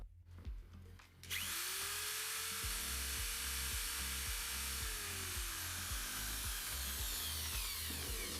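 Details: Electric drill running on a home backup inverter and battery panel during simulated power cut: spins up to a steady even whine, constant pitch, no bogging; drill runs without problems on the inverter.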